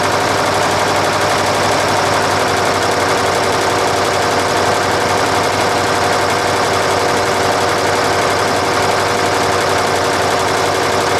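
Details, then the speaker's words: Nissan Diesel UD5 two-stroke uniflow-scavenged supercharged engine, air cleaner removed: runs steadily with a rapid, loud chatter and light ticking as the blower compressor breathes through the open intake; normal running. "probably hear that ticking noise come into it the compressor's breathing through the air cleaner which we've got taken off there at the moment"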